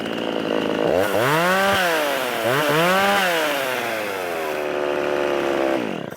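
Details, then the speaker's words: Rebuilt Poulan 3300 two-stroke chainsaw cutting wood: revs up and bogs slightly into the cut, pitch dipping and recovering cleanly; pulls strongly and runs well, though idle not holding well and oiler not oiling. "but she runs pretty sweet"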